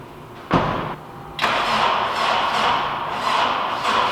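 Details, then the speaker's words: Honda Civic Si that keeps overheating, head gasket already replaced once, owner believes head is warped: cranks, catches, then rough stumbling misfire at idle. "all right so you guys obviously hear the misfire this car is doing"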